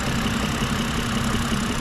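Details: BMW petrol engine at idle, belt still on: dull repeating knock under a steady note with bearing-type hiss; source unclear, suspected pulley or damper, to be checked by running without belt.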